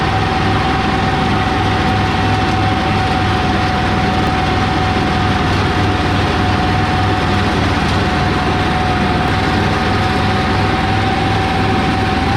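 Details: 1985 Kubota T1600 diesel garden tractor, 290 hours, driving incl. top speed run after transaxle repair: steady even diesel chug with constant whine on top, no misses or knocks; normal running, engine runs flawlessly.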